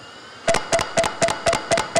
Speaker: youve heard clunk clunk clunk clunk clunk right that is probably a bad head